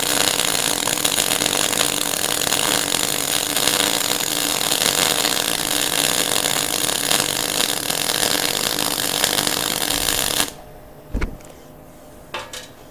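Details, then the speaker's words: MIG welder with the same settings and the earth clamp moved closer to the weld: about ten seconds of steady, even frying sizzle with no popping or banging; virtually no spatter, good penetration, settings still slightly high. "once again we're still quite high on that weld but it sounds a lot better it feels a lot nicer your guns not bang bang bang bang bang bang bang hasn't got a hell of a lot of splatter"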